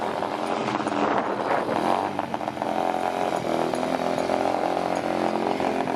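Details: 2021 Apollo RFZ 125 dirt bike after sitting for months, first test run with new exhaust, new carburetor and new filter: the buzzy small single runs steadily, dips briefly then picks back up, with no knocks or rattles; normal running.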